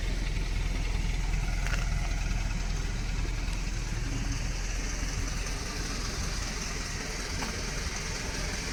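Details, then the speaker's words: Dodge Raider (Gen 1 Montero) 2.6L 4G54 with Weber 32/36 carb and new Carter P90091 electric fuel pump, warm after a drive: starts instantly and idles smooth and even, no misses or knocks. "Took the truck for a drive. She's all warmed up. Fires right up just by bumping the key. Sounds good."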